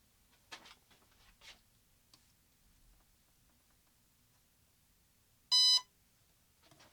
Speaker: right there it started. It starts the sequence.